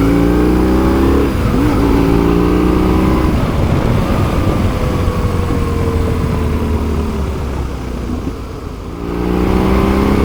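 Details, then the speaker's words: BMW R1150GS boxer twin after fuel filter and fuel pump service: revs up and back down cleanly, steady even firing with no misses; owner thinks it runs smoother than before. "it's smoother. Honestly do. I really do think that's smoother."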